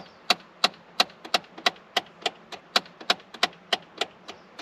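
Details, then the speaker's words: 2009–2014 Ford F-150, key on and engine off, sound from under the dash at the center console: sharp, fast ticking about three times a second. A/C mode/blend door actuator with worn or missing gear teeth. "So yeah, that's the noise. And that is literally the teeth inside of this gear."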